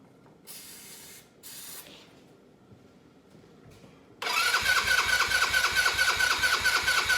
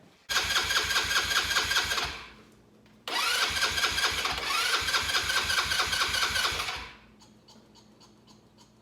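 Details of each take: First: Cheap Chinese buggy sitting 2 years, air cleaner removed: starter spins briskly about two turns a second but never fires; fuel delivery issue, since gas poured into the carburetor made it run briefly. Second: Cheap Chinese 4-wheeler buggy sat two years, carburetor flushed, fuel now gushing from overflow (owner suspects dislodged float seat): small engine catches, idles with fast even patter, dies, restarts and settles, no knock.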